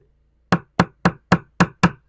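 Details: 1969 Iroquois Mk2 boat deck tapped with screwdriver handle, original balsa core: six crisp even taps with firm dull thud, no hollow ring; core solid, unlike delaminated soft spot.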